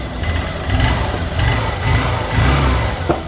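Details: Honda Shine motorcycle after timing chain replacement for engine noise: smooth, even idle swelling cleanly with a few throttle blips, no rattle or tapping from the top end; normal idle.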